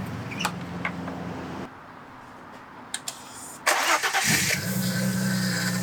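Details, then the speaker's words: Audi B5 S4 after replacing a whining aftermarket power steering pump with a known-good OEM unit, system not fully bled: engine settles to idle with a faint steady whine; owner suspects trapped air, expected to fade. "okay well still making a little bit of noise but we might have to just give it some time to uh bleed out"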